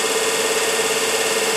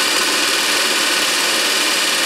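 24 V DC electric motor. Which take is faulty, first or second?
first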